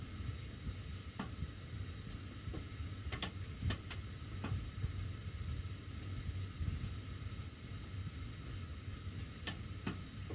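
Irregular sharp ticks and clicks pop out over a low steady blower rumble, typical of ducts ticking as they heat and expand. Cause suspected, not confirmed.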